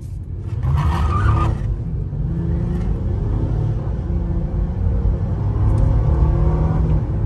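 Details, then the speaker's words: 2016 Acura MDX at 89,000 miles after a full tune-up with injector cleaning and new spark plugs: a steady, even low rumble with no misses, knocks or ticks; the engine runs smoothly. "see you can hear that sound so smooth so really smooth right insane man"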